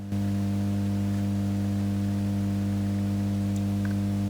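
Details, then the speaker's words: Marshall JTM45 Super 100 guitar amp, believed to be from late 1965, during a hum-loop repair and recap: a steady low mains hum with a buzzy overtone, noticeable but livable; the earthing arrangement is to be reworked to fix it. "very noticeable isn't it it's livable with but we know that we can do better with our little earthing Arrangement here"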